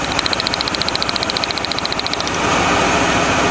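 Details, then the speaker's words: 1997 Lincoln Continental, about 260 horsepower, idling after the burnt spark plug wire was fixed and taped: unhooking one plug lead brings back the puffy, thumpy uneven pulse of about three or four a second, a single-cylinder misfire, before it evens out. "let's do the final test sounds good here unhook that oh there's the puffy sound back the thumpy"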